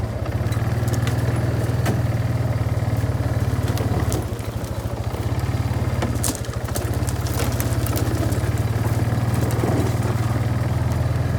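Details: Barn-find Kawasaki Bayou 220 ATV on test drive after repairs (filthy carburetor cleaned, new battery, oil and air filters, rear right wheel bearing and seal): even single-cylinder thump dipping briefly and recovering with throttle changes, no knocks or clatter; engine running really good.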